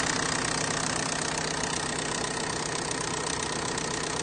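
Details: Big turbo FSI engine build, sounding odd since day one: steady idle with fairly regular ticking-knock about three per second over the engine hum; cause undetermined.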